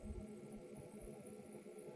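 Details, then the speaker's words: Solar air collector on a sunny mid-November day, sun directly on the collector: quiet, steady hum with faint motor tones and no rattle or scraping; the small collector fan runs normally. "Слышите как вентилятор шумит?"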